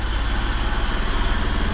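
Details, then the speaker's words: 1978 BMW E12 530i, M30 engine, first start in 16 years after new fuel pump, fuel filter, relay, oil filter and fresh oil: steady, even low idle with a smooth regular pulse, no knocks or misses; running cleanly. "oh my god it she runs she actually runs oh my God look how quiet it is and smooth"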